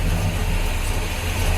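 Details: Barn-find vehicle at first start in six years (a possibly stuck lifter was suspected). Deep, steady idle without misses or knocking: normal idle.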